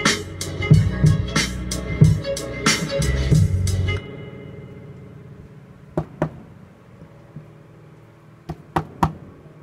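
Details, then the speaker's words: Rogue PRM-806 mixer after repair: sharp knocks on the unit come back through the spring reverb as boomy, splashy crashes with a metallic tail, showing the reverb works. "you can hear it through that spring [Music] that's kind of cool it's kind of like tube preamps if you knock on them you hear the plates rattling around"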